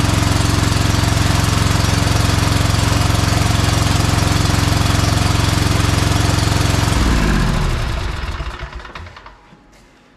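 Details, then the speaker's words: Bad Boy Maverick zero-turn mower with a Kohler Confidant V-twin, low on power. It thumps steadily for about seven seconds, then sags and winds down to a stop as one side loses spark after running a while. The owner is pretty sure that side's ignition coil is bad. "you could hear it when it it was sparking for a while there and then it once it ran for a little bit then it it lost spark on that side so I'm pretty sure it's going to be that coil"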